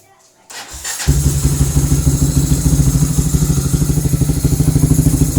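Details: Honda CB fuel-injected motorcycle, long unable to start due to a failed injector, after fitting a racing injector and ECU remap: starts at once and settles into a steady even thump about three beats a second, no misses; normal idle.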